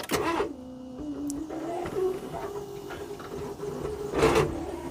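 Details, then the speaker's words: Smart ForTwo with a seized alternator, engine just freed to turn, attempting its first run since September: strained, whirring starter whine at one pitch, turning the engine laboriously without catching. Hard cranking, no start yet. "almost I would I would say that isn't entirely happy dear I'm interesting sound effects yeah that still doesn't really want to go"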